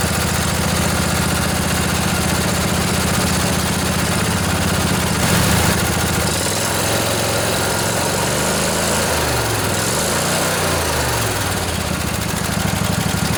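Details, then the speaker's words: Junkyard Briggs & Stratton Intek twin-cylinder 20-25 hp riding mower engine, long sat outdoors, just revived: steady idle then speed swings slightly up and down, runs on, bit smoky after sitting; normal idle. "Look at us go. A little bit smoky. Hasn't been running a while."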